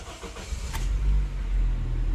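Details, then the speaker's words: 2007 Honda Civic 1.8L four-cylinder with a crank-no-start complaint and no fuel pressure: the pump is now heard priming, and the engine cranks briefly and catches cleanly into a steady, even idle; normal start. "bam and we are running"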